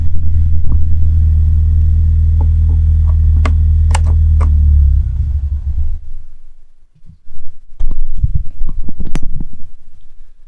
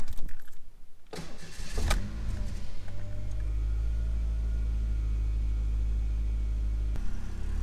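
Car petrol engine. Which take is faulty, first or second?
first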